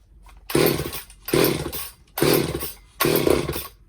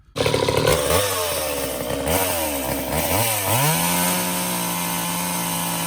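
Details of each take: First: Old Craftsman two-stroke chainsaw found in the trash, after a Walbro carb rebuild, new fuel lines and the jets opened up: four short, rough bursts that each catch and die. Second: Old Craftsman chainsaw after Walbro carb rebuild, new fuel lines and bar oil line, run to test chain oiling at a cardboard box: revs up and down, then steady, even two-stroke idle without misses or surging; oil now flinging off chain; normal running.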